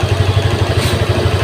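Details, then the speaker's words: Honda Vario 150 injected scooter after fixing the faulty throttle position sensor that caused high fuel use and black plugs: regular pulses about twelve a second, even beat with no stumbles; steady normal idle. "ia enak terdengar enak ya terdengar enak ya teman-teman Berarti untuk motor ini sudah normal"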